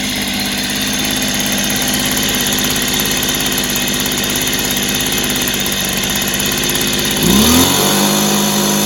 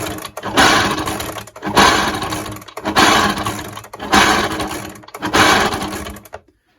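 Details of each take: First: Echo PB265 ESLT backpack blower after replacing noisy crank bearings, started on choke: engine settles to a steady even buzz, clean unwavering note, no bearing rumble, much quieter than before; normal running. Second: Echo backpack blower, noisy when running, pulled over by hand five times without firing: rough dry grinding whirr; owner suspects pitted, rusty crank bearings rather than the crank itself; new crank bearings fitted.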